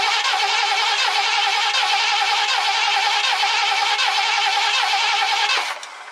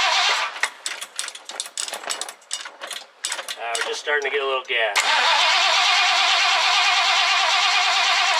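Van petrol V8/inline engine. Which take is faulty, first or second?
first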